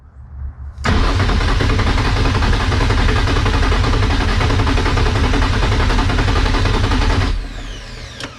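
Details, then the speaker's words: Nissan 240SX start attempt: steady cranking at about four turns a second with a few weak catches that never pick up; cranks but won't fire and run, crank no-start. "no nothing y'all heard it though right y'all heard it it kinda wanted to start it's trying you guys can hear it it wants to it wants to start so i guess since the car didn't start"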